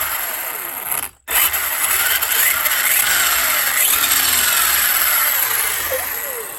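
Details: Losi 8ight Tekno RC with Castle Mamba Monster ESC and Castle motor, run after motor re-adjusted for tight gear mesh with no play and transmission fitted: smooth electric whir, gear whine rising and falling with throttle, no grinding or skipping; normal drivetrain running.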